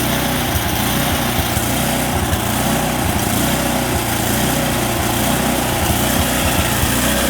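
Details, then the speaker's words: Snowblower small engine at full throttle: the note slowly wavers up and down instead of holding steady. Surging idle, likely fuel or carburetor related. "you could hear the idle surging at Full Throttle it has that"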